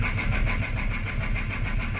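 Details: Renault Kwid with fault codes 033564 and 0313F8: starter churns steadily, about seven pulses a second, long before catching; heavy misfire, slow pickup and a faulty accelerator pedal also reported.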